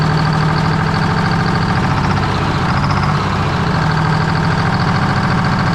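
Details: 1973 Freightliner cabover diesel, restarted on 24 volts with valve covers refitted, RPM gauge not working: a loud, deep idle holding steady with a heavy low drone and a slightly lumpy beat. Rough idle; owner suspects an oil leak.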